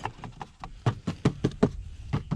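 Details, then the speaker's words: Toyota Prius Gen 2, tapping the under-tray end toward the car: about a dozen hollow, loose clattery plastic knocks; flimsy underbody panel rattling over bumps. "this part here this end bit here so towards the car there you can just see it it's it's flimsy so you go over any sort of bump it's gonna make a noise"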